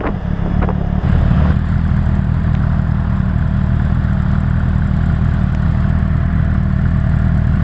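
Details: Suzuki GSR 600 motorcycle: deep engine drone with a loose, uneven clattering rattle that comes in as the throttle opens; rattle under acceleration, cause unknown.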